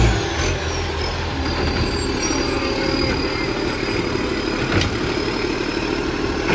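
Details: 2013 diesel garbage truck: loud raspy chuffing rides over the engine rumble in a steady puffing beat, a big exhaust leak.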